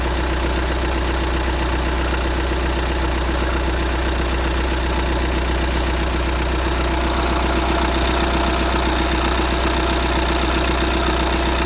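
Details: 2015 VW Tiguan 2.0 TDI 150 BMT, 34,000 miles: light regular chirping squeak, about 1.5 per second, over a steady diesel idle. It happens only on a cold engine and lasts a minute or two; the cause is unknown.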